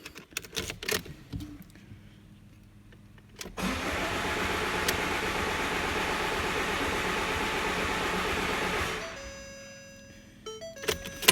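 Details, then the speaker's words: Ford Mondeo Mk5 2.0 diesel that cut out and won't restart: starter spins it steadily about five seconds without firing; rail pressure only reaches about 5,000 psi versus about 10,000 expected; high pressure fuel pump failure, later found to be a broken pump shaft. "Nope, we've not got enough fuel pressure. So going on the information, come on, I'm pretty convinced the spring in the high pressure fuel pump has broken."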